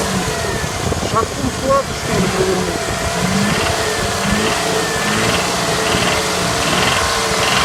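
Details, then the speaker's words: Knock on a Mitsubishi Montero III (6G74) after rebuild (bored for oversize pistons, contract crankshaft, original standard bearings), 2000 km since: tapping appears around 2000 rpm when revving, idle normal; owner suspects connecting rod, unconfirmed. "Появился стук двигателя. При оборотах 2000. При газовании. А так на холостых работает нормально."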